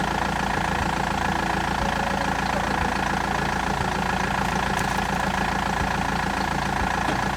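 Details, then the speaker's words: BMW E91 320d diesel at idle after owner replaced the failed turbo and crankshaft pulley, exhaust refitted; steady, even diesel idle with regular beat, no knocking or rumbling, running a lot better — normal idle. "okay it's uh done you can hear it it's running a lot better"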